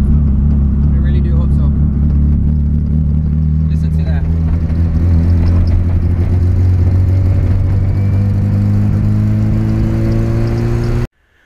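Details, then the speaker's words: Nissan Sylvia turbo on first drive after intake manifold, injectors and turbo piping install, no catalytic converter: rising drone breaking up unevenly, stumbling three to four times a second off boost, comes alive in boost; sputtering under load, cause unknown. "yeah when you get into boost she comes alive but until then it's pretty crappy"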